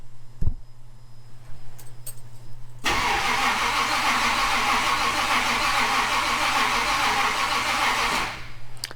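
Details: Edelbrock-ECU Ultimate Highboy that stopped running. The starter cranks steadily for about five seconds with an uneven beat but never fires: crank-no-start. Spark is erratic, ECU rpm reading jumps 0–400, the battery seems low, and the owner suspects the distributor's Hall effect sensor.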